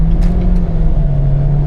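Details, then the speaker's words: Kia turbo engine at wide-open throttle after repairing a boost-leak hole that had hissed when the turbo spooled: deep, steady, strong pull with no hiss or stumble; scan tool shows zero misfires. "There we go, nice. Good power. I'm looking over at my scan tool. I see 0 misfires across the board."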